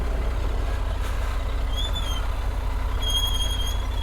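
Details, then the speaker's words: Triumph Tiger 900 Rally Pro ridden on wet, slippery, slushy trails: over the low engine rumble, a high, thin squeal comes twice for about half a second and a second as the rear brake is applied; rear brake squeal. "How squeak is that rear brake?"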